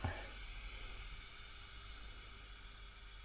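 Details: Fender Bassbreaker 15W tube amp head after repair (shorted R13 found, red-plating output tube), voltage raised from about 150 V: soft even hiss with faint low hum, no crackle or popping; idling quietly and healthy, no red plating.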